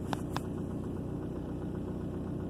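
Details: 2003 Ford Focus after fixing recurring cylinder 2 misfire (code P0302) with head gasket sealer in the cooling system; check engine light stays off, no codes; steady, even idle with smooth low hum, no stumble or miss; normal idle.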